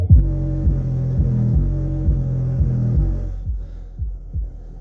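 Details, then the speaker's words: Fleetwood 6100 budget subwoofer on a sound check: deep bass thumps about twice a second, smeared and puffy with air chuffing, from heavy port noise, and it is not very loud. "time for a quick sound check I don't know if you can hear that but there's a lot of Port noise"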